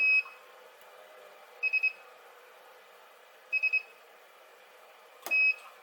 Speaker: The beeping that you can hear is the welding machine just charging back up again. It just takes a few seconds.